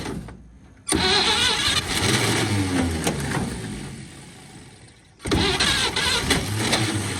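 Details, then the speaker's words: 1946 Chevy boom truck engine, sat 35 years, previously water-filled and locked up, on pump-sprayer fuel with ether; two bursts of ragged cranking with brief firing, each dying away, smoking from what was put in; won't keep running. "Well, she tried. She's smoking a little bit from all the junk I put down in there, but we're gonna get her running."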